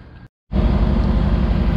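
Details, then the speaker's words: 2009 Dodge Ram 1500 Hemi after AC compressor field coil replacement, AC clutch engaged at idle: steady deep even V8, no squeal or chirp; clutch spins as one assembly, no belt slip, normal. "I had to forgive me shouting over the engine noise but as you can see we've got our AC clutch engaged you can hopefully see down there the spinning is one assembly it's quiet it's not squeaking it's not complaining so that's good everything's running nice and smooth no issues with the belt slipping"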